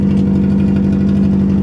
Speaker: You can as I get back to the close here, you can hear the exhaust leak.